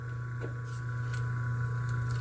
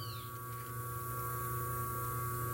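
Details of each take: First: E o capacitor já é para compensar nesse atraso, só que com valor bem pequeno ele não consegue compensar o atraso. Aí já dá um pouco já começa a ficar roncando, porque sinal que não está. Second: 127 V washing-machine motor on its original run capacitor, drawing 2.6 A against its 2.7 A rating: a steady, even mains-frequency hum with a clean tone and no growl. The motor is running smoothly.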